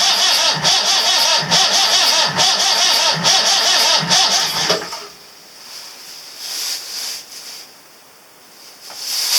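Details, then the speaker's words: 1984/85 Marine Perkins 4.236 diesel after three months in salt water, fuel bled, suspect injectors; steady starter cranking about two turns a second for five seconds, no firing. Cranks but no start. "Oh well. Didn't work. I'll give it some start gas."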